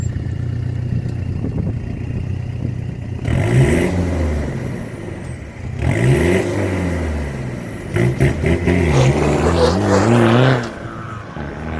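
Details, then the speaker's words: Mitsubishi Triton MN diesel with new 3-inch exhaust, high-flow cat, no resonator: smooth idle with three clean blips toward 2000 rpm; deep controlled note, less raspy than before, no rattle or misfire; normal. "I don't think it's going to be loud or anything like that, but it definitely sounds like it's got more of a controlled note."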